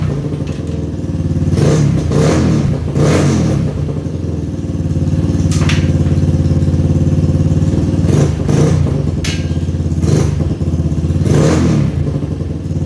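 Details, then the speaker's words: 2011 Yamaha Raptor 250 ATV, bought not running, airbox off with no filter, running straight off the carb: rough idle with repeated grinding clatter as the starter keeps cranking while running; starter solenoid bad, needs replacing. Exhaust sounds healthy. "Yep, that solenoid is bad. So I'll have to be getting a new solenoid. It was still cranking even when it was on."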